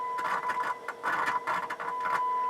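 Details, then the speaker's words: Sansui R-606 stereo receiver on tape monitor, idling at about 18 watts: steady test tone crackles and cuts out in scratchy bursts as the volume slider moves, both channels, right worse; worn, dirty volume slider potentiometer. "You hear how bad this volume slider is. Both channels."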